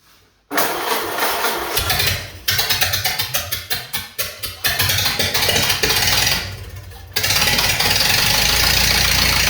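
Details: Unknown crusty donor four-cylinder in a 1929 Ford Model A doodlebug, first start bare-bones with carb refitted and a little throttle: uneven cranking bursts, a stumble, then catches and runs steady and even, little smoke; normal running.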